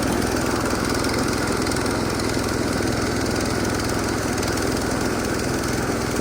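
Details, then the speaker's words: Massey Ferguson 16 garden tractor with old Kohler single-cylinder engine, revived after sitting since about 2013 with a replacement aftermarket ignition (33-393); everything works: steady, even chug at constant speed, no misses, knocks or surging; running healthy. "runs. It works. Everything does what it's supposed to do."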